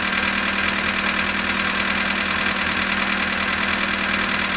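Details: VW Polo sedan at 18,967 km, at -19 °C: busy, rattly top end with a faint knock about once or twice a second at idle; engine knock, cause undetermined.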